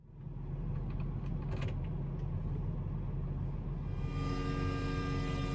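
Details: Car radio buzzing through the speakers with a phone connected by auxiliary cord: a low cabin rumble, then a steady buzzy hum with stacked overtones that holds; a ground loop buzz, later addressed with a USB-C/Thunderbolt adapter setup.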